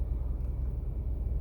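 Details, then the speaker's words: 2008 Toyota Sienna, 3.5L 2GR-FE V6, after replacing the bad ignition coil that caused the cylinder 4 misfire (ignition coil B code). It now idles with a low, even rumble and steady pulse, no stumble: normal idle. "all right swapped in the new coil the motor seems to be running quite a bit"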